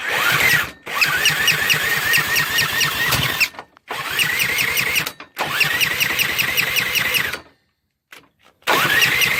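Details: Engine cranked repeatedly with rapid chattering turnover but never fires; carb gets fuel, plug gapped and sparking, coil gapped to spec, valves adjusted to spec, rings look undamaged, turning is a little stiff; crank, no start, cause unknown.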